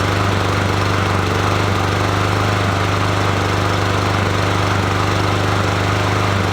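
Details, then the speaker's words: Free Troy-Bilt TB110 push mower, 140cc 550ex engine, previous owner couldn't start it after carb replacement: loud, uneven chatter with a lumpy irregular beat; rough running, cause not yet found. "that sound awful"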